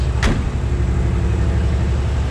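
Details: 1957 Chevrolet 210, frame-off restored, 283 Rochester V8, about 16,000 miles since build: deep steady even idle, no knocking or ticking, hums as it should; normal idle.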